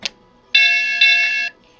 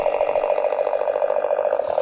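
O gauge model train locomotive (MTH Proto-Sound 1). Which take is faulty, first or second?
first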